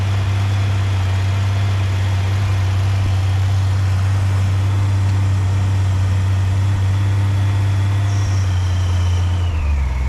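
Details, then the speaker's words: 1997 Honda Goldwing GL1500SE, carbureted, cold start on choke, with a new timing belt and tuned carbs. A deep, smooth, slow idle holds steady with no stumbles or ticking while it warms up; a normal cold idle. "these are carbureted bike take a little bit of choke to start I like to I usually like to let it warm up just a little bit before backing the choke off it idles quite slow"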